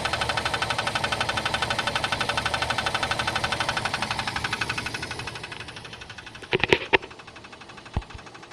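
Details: Jeep Cherokee 4.0 (AMC 242): sharp, even tick-knock about four per second over a smooth idle, tracking engine speed; lifters, piston or valve were suspected, but the cause was a circular crack in the flexplate.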